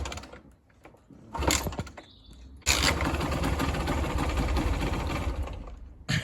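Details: 2-stroke Kawasaki KMX 125 after battery replacement: a couple of cranking attempts, then it catches and runs with a raspy, uneven two-stroke buzz under throttle. It starts normally.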